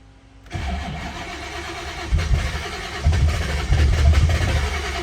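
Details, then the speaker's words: Car with new dual fan relays, fans running, two-step launch control: hard start, catching after a moment and running lumpy with irregular surges; owner suspects startup fuel he turned up should be turned back down. "on girl i don't know what that was all about i did adjust my idle or my startup fuel a little bit maybe i need to turn it back down"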